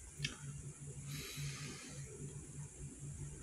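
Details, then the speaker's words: Breath alcohol tester giving quiet repeating beeps, about three a second, after a sip of Hanoi beer, signalling the reading (1.7) exceeded the permitted limit; device then shuts off by itself. "Nó sẽ có tiếng kêu tít tít thông báo là cái chỉ số của mình đã vượt cái ngưỡng cho phép rồi."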